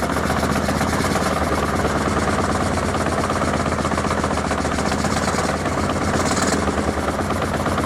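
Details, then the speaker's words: 1981 Honda CB750K, sat 20+ years, running on a test carb with choke not working: fast, lumpy idle stumbling now and then; owner believes it isn't running on all four cylinders, possible misfire, cause unconfirmed. "it doesn't sound right i don't believe it runs on all four but it runs for now"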